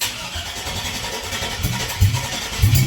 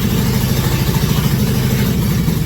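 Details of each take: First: 2001 Cadillac Escalade 4.8 V8 mud-truck project, not run in a while: starter churns, uneven pops and thumps, it catches briefly but won't keep running. Spark is confirmed; fuel injector pulses are hoped for, not confirmed. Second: 2001 Cadillac Escalade V8 first start, water pump and mid pipes with O2 sensors not yet installed, MAP sensor unplugged; even steady low burble with light throttle, appears to run on all cylinders, normal idle.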